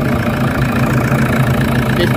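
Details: Toyota Fortuner diesel after fuel system fix and charging battery: deep, even idle with steady low rumble, no knocks or misses; slight air reportedly still present.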